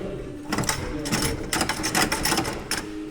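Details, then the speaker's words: Toyota Camry with a knock complaint, engine off, body rocked by hand: short clattery knocks in bursts from the front as the battery shifts in its tray, hold-down hook missing; stabilizer links checked first. "Открываем капот. Уже откуда-то спереди был звук. Качаем машину. И аккумулятор у нас делает"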